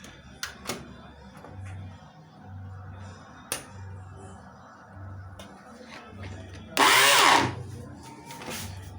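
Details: Arno blender: short burst of high motor whine and rough rattle with no blade load; motor spins but the drive coupling seat is stripped, no longer turning the jar's blades.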